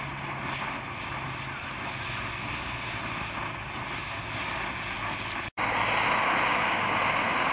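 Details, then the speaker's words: Dual-fuel camping stove on diesel after preheat, in breeze: steady even roar with faint hiss, no sputtering or surging; flame clearing and burning cleaner, normal burner roar. "you see the flame starting to clear itself up a bit now starting to burn a lot cleaner"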